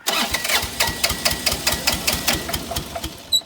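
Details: Bobcat 328 mini excavator that sat a long time, cranked on ether: ragged, uneven chuffing and knocks around two per second as the diesel catches briefly but never settles; cause not confirmed.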